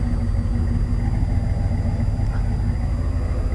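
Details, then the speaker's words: 1990 Chevy K5 Blazer with a freshly rebuilt V8, cold start, idling at about 1000 rpm with 50 psi fuel pressure: deep, steady rumble with even pulses and no knocks or ticks. Normal cold idle. "fuel pressure Sho is good on 50 idles at about a grand it's got a nice Rumble I love it"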